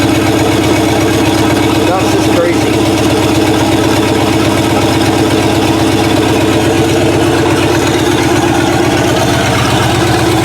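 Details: Chopped 1950 Ford Shoebox flathead V8, after 20–30+ years stored, on a 12 V battery instead of 6 V with an electric fuel pump: steady open-exhaust burble at an even idle, no knocks or misses; idles cleanly.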